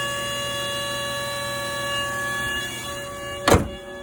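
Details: 2005 VW Touareg 3.2 V6 cold start every morning since an oil change: steady high-pitched whine with several constant tones, ending in a thunk; source unidentified.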